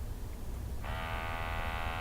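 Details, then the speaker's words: MultiRAE multi-gas detector switched on for pre-confined-space check: quiet, then small sample pump kicks in with a steady, high, even buzz holding pitch while it shows sensor IDs and calibration dates; normal pump running. "and the pump comes on as you can hear it gives you dates it's checking the sensor IDs"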